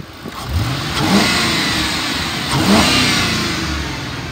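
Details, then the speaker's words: 2008 Ford Crown Victoria Police Interceptor, 130,000 miles, running about an hour without overheating: engine revs up cleanly twice and settles back without misses or knocks; healthy revving despite some smoke at first start. "the motor sounds good when i started it up and i revved it up a couple of times"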